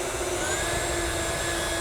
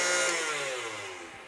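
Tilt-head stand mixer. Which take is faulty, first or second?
second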